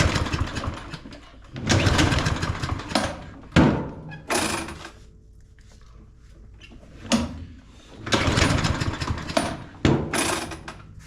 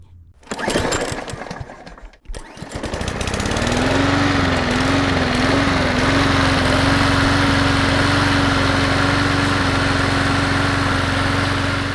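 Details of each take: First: Craftsman M230 push mower that became hard to start, smoked, and barely stayed running. Repeated pull-cord bursts turn it over freely but it never catches; the spark tester flashes low, so spark is present but weak. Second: Craftsman M230 push mower after tune-up for hard starting and smoking: pull-start clatter, then the engine catches and settles into a steady, even drone with no misses; healthy running, ready to return.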